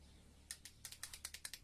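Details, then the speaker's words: CG motorcycle: pressing the starter gives rapid dry clicking from the starter circuit, about nine per second, and the engine does not crank. "marş basmıyor ya bu şekilde malzemesinden tık tık diye ses geliyor"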